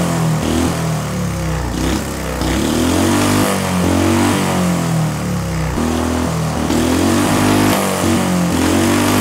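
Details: Small see-through single-cylinder turbo engine on newly adapted Amp-EFI and pump gasoline, lightly tuned: revs up and down cleanly, pulling smoothly without misses or stumbles; runs better than on carburetor.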